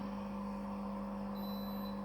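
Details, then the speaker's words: Philips HI5918 steam generator iron in Calc-clean descaling mode after the beep: the 5-bar pressure pump pumps water with a steady low buzzing hum, constant pitch and no stutter, operating normally. "just wait, you can hear a beep. And now it's pumping water with a 5-bar pressure pump"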